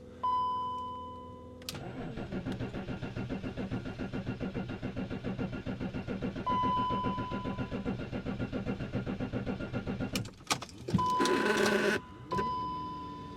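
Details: BMW X5 cold start at about -3.5 to -6°C on the morning of its MOT inspection, after repairs: door chime and beeps, then a few seconds of even cranking before it catches cleanly and settles; good normal cold start.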